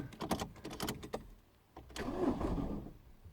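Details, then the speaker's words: 2009 Ford Fiesta Mk7 1.4 TDI, after injector replacement: quick run of dry clicks, pause, then brief labouring crank as it struggles to start; faulty starter motor suspected, being replaced with a second-hand one; starter clicking with weak crank. "So the car does fire into life, as you can hear, but it's definitely struggling to start for sure."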